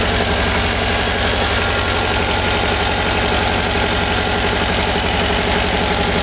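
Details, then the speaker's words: 1985 VW Vanagon, vacuum advance disconnected and plugged, ignition timing pulled back from too far advanced to center: steady even idle, revs slow slightly, no knock; timing now dead on. "center all right you heard it slowed down a bit now that when we check it it's going to be pretty much dead on"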